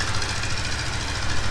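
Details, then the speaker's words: Yamaha R15 with about 30,000 km: rough, heavy idle with a steady low rattling knock from the cylinder block; piston and ring knock caused by oil starvation from lack of engine oil changes. "ดูฝั่งนี้นะครับเมื่อได้ยินเสียงนะครับในเจอเสียงของลูกสูบและแหวนนะครับที่ดังอยู่ตรงห้องเสื้อตรงนี้นะครับอาการนี้มีสาเหตุหลักสาเหตุเดิมคือน้ำมันเครื่องแห้งนะครับ"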